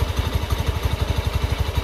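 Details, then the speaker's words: Used Honda Beat eSP scooter, possibly dropped: steady idle thumping about eight times a second with a light metallic jingle from the CVT; mechanic suspects a loose plate at the rear pulley. Engine otherwise runs smoothly. "ini ada sedikit rasa E ini ya mengganggu di bagian CPT ini bunyi seperti kemerincing ini ya"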